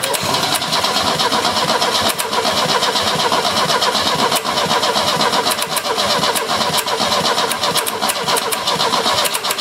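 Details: 1970 Opel GT barn find, first start attempt in about 30 years after carburetor change, new points and plugs: long steady starter churning, about four beats a second, never fires; cranks but won't start. Owner blames the junk carburetor, plans a Weber swap.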